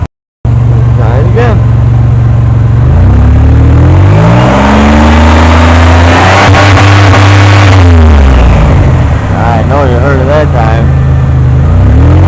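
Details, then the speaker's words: 1998 Oldsmobile 88 with a cylinder 3 misfire code despite new plugs, wires and coil packs: the engine skips and stumbles unevenly when revved. Cause not found; later replacing the plugs again and the cylinder 3 coil pack seemed to help. "I'm trying to figure out where that skipping is coming from I got my check engine L design and it's showing as a cylinder 3 this fire"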